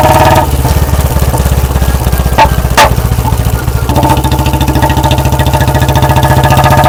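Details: Royal Enfield Bullet 350 BS4, warmed up by a short ride, carburetor set for backfire: loud thumping single at a steady beat, then two sharp cracks from the exhaust off throttle; lean-mixture backfire on deceleration, said to harm the carburetor.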